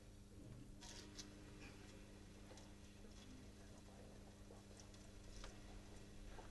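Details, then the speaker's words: Plastic pump with plastic tank and pipe, starved of suction as liquid is drained from the supply vessel: steady low hum with irregular crackling bursts and air bubbles drawn through, i.e. cavitation. "pumps in cavitation now the pump is starved again you can hear it now this is what cavitation sounds like with a plastic pump and a plastic tank and a plastic pipe"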